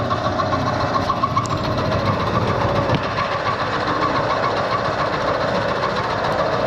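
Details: Bridgeport milling machine on a new VFD, two-flute end mill taking a 1/16-inch cut in malleable iron: steady, even cutting hum with light rhythmic chatter, no knocking; clean, healthy cut.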